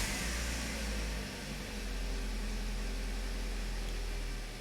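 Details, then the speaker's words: 2009 Toyota Corolla 1.8L idling after a new ignition coil was fitted on cylinder 2 to fix code P0302. Smooth, even idle with no stumbles. The misfire is gone and the scan tool shows zero misfire counts. Normal idle. "right off the bat i can tell that the engine sounds better the engine is no longer misfiring"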